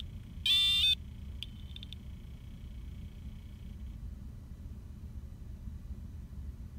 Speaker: you may even hear a short beep after you disconnected all of the power